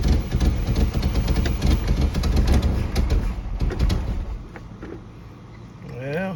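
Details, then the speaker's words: 1986 Pontiac Fiero, ignition tune-up, restarted after reassembly; the owner questions whether a distributor rotor that seized in place was wrong or badly made. A low, uneven chugging at about three pulses a second sputters and fades. Rough, not running properly, cause unconfirmed. "I don't want it to sound like that. Definitely doing more than what it was."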